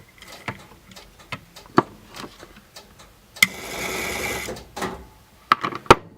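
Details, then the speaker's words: Automatic Electric Model 880 executive speakerphone, long stored, in speakerphone mode: irregular relay clicks, then a brief burst of dial tone that cuts off as the line seizes and drops when dialing; owner suspects dirty contacts. "I'm starting to think this is a just a dirty contact problem again with just my initial suspicion"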